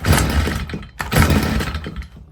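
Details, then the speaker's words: Stihl FS55R string trimmer, before carburetor repair: on throttle, revs surge then sag and die away twice; bog doesn't clear as it warms, previously cut off under throttle; suspected carburetor fault. "well it didn't cut off on me this time uh the last time I ran it it wouldn't even hardly take any gas obviously you're supposed to let this warm up normally they will have a little bog you know the first uh 15 to 20 seconds till the engine starts to warm up but this one doesn't get any better as it runs"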